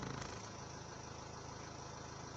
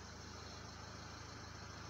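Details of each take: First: Renault Laguna 3 Coupé 2.0 dCi 180 diesel at idle with a fine buzzing rattle that changes sharply when the dash is pressed; dashboard panel vibration, cured by placing foam on each side. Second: Renault Laguna 3 Coupé 2.0 dCi 180 diesel at idle after a fix to the upper dashboard: steady, even low throb with no buzz or rattle from the dash; normal idle, dashboard vibration gone.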